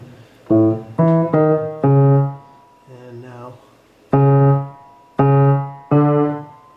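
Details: Very old rebuilt grand piano, after bending a damper wire to fix a buzzing note: several struck notes, still out of tune, ring and decay cleanly with no rattle or buzz; damper now seats properly.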